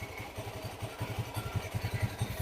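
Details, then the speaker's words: Honda Beat Pop scooter at idle: uneven low clattering pulses, several per second, a harsh rattle inside the CVT cover. When revved, a separate knocking sound joins the rattle. Complaint is a rough, noisy CVT transmission, suggesting a loose or worn clutch assembly. "Itu suara berderak, kawan-kawan. Suaranya jernih, kan? Suara gemuruh yang kasar ."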